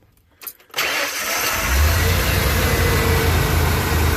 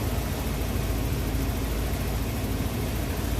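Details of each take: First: Van after repairs, breather disturbed: a few short crank bursts before the engine catches and settles to an even idle; normally starts first try, owner suspects the breather; hard starting. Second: Van after repairs, just restarted: low steady idle with an even rumble and no knocks, misses or surges; engine runs smooth; normal idle.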